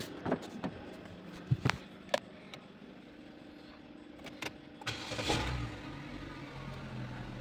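A few handling clicks, then the engine catches and settles into a steady low idle; a clean start with no stumbling.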